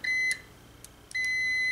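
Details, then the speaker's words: Multimeter on continuity setting, leads on a fuse's metal tabs in an automotive power distribution center: steady high-pitched beep, broken briefly then back as leads touch, showing a good fuse. "have continuity because the current is passing through the red red one passing through the fuse and going into the black one going back to the to the meter"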